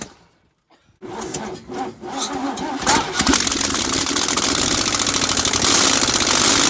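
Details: Chevy 307 small-block V8 in a 1965 C10, first start in 20+ years, no exhaust manifolds fitted: cranks, catches and runs loud and ragged with an uneven, popping beat; rough idle from incorrect ignition timing, later corrected.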